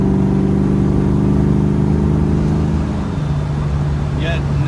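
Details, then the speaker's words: 1994 Mustang GT convertible automatic after transmission pan drop and filter, gasket and fluid change that cured bad shudder; engine pulls cleanly under hard acceleration with no shudder or slipping. Normal transmission operation. "I'll nail it a little bit here when we get to the corner, and you'll be able to see that, and here, probably hear it better, that there's no issue with the transmission at this point."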